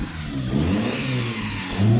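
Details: Opel brought in as a non-runner, customer reporting it wouldn't rev up, not yet warmed up: the engine fires, climbs cleanly through a couple of blips, then settles to a steady note with no misses; running normally.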